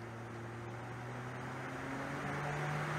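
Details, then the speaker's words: Project Redfire electric cooling fan on junkyard Ford controller module run by MS3Pro: smooth whoosh climbing in pitch from 50 to 100 percent, no squeal, pulsing or rattle; healthy fan at full speed. "this controller's output a very high frequency that runs the fan super smooth so let's go ahead and bump that up i don't know let's do like say 50 percent you can hear it ramping up and just for uh completeness we'll bump it all the way to 100 power"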